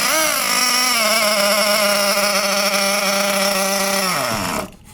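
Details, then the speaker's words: 2014 Losi XXL-2 1/8 truck with a Dynamite 31 gas two-stroke, brand new, first start after more than 10 years unused: high-pitched buzz holds about four seconds, then sags and dies; runs lean, not getting fuel, and the low-speed carb needle needs opening. "We need to open the carb a little bit. Was not getting fuel."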